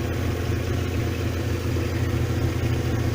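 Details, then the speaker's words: VW Caravelle T3 T25 Vanagon with Subaru H6 3.0 swap, warm engine after starter motor replaced to cure erratic idle: deep, steady, even rumble with no hunting; idle now much more stable. "but I don't know whether you can hear, basically it's much more stable and idle. Amazing what changing the starter motor has done for it, actually."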